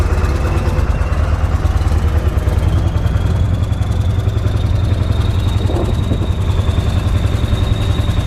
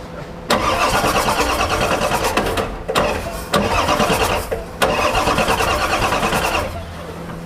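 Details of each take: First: 7.3 Powerstroke diesel with engine oil ending up in the fuel tank, after adding about three quarts of oil and waiting for injectors to kick on: steady low clatter at idle, even, no stumbling or rpm hunting; normal idle. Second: Ford 7.3 Powerstroke diesel putting engine oil into the fuel tank: three long bursts of fast cranking that catch and fire with no glow plugs. Fuel-diluted oil from leaking injector O-rings is burning.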